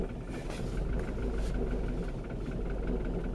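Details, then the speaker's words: 2003 Ford Mondeo Mk3 estate 2.0 TDCi turbo diesel, 130 hp: low lumpy wavering idle near stalling; owner suspects injectors, coding with diagnostic tool pending; rough idle. "it's really rough it's hardly staying even it's gonna conk out right"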